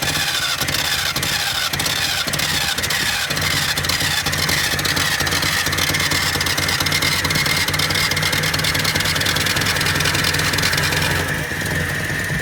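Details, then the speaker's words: 1978 Datsun 1500 Ute GN620, parked in a shed for 20 years, cranked with throttle flat while its mechanical pump was tested on a temporary fuel tank: a rapid cranking churn catches into a rough, uneven run for a moment; fuel starvation from the rear tank. "Be interesting to see if the fuel pump's actually pumping up fuel from the back tank or not. Hey? The mechanical pump."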